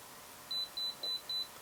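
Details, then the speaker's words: Kaiweets HT112B multimeter on the milliamp range as current approaches its 600 mA fuse limit: four short high-pitched beeps about a third of a second apart, the meter's overload warning. "Okay, so then that meter gives a overload warning, so that's nice. It has a warning there."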